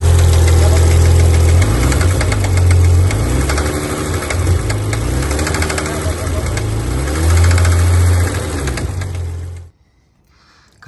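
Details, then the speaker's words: BMW 525 engine: regular hollow knock about four per second over rough idle with uneven beat, cylinder four not firing; piston slap from cylinder one, shiny scuffing found on piston. "Вот, короче, стук с первого цилиндра шёл."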